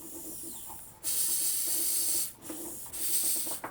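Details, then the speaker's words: Small engine pulled over with the spark plug installed: loud bursts of sharp air hiss, a massive compression leak escaping at the head gasket. "so if I turn this engine over you can hear some hissing and make sure you have the spark plug in when you do this test it's very basic you don't need any tools and you can hear a massive air leak now"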